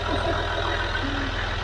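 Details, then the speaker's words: Land Rover Discovery 3 / LR3 with Ford Lion 2.7L TDV6 diesel, first start after a complete engine rebuild, with good oil pressure at idle; even, steady, smooth low rumble with no knocks, misses or rattles. "oh my god i don't know how this thing sounds yeah it sounds like a new machine look at this oh my gosh listen how this engine sounds it sounds like a friend"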